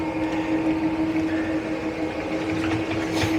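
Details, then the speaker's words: 2021 Grand Design Imagine 2910BH rack-and-pinion slide-out extending: steady even electric motor hum at constant pitch, no knocks or grinding, clicking expected at full extension; normal operation. "Now this is a rack and pinion slide, and so once it gets out to its fullest extent, you're going to hear a unique kind of clicking. As soon as you hear that, you want to let off of the button."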